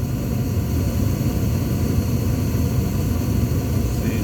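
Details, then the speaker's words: Furnace after flame sensor cleaning (it had been shutting off 5–15 seconds after lighting): steady, even low burner roar continuing without cutting out; furnace stays lit and runs normally. "still going so that's a good sound all right but we're just going to keep it on to turn on to make sure everything's straight"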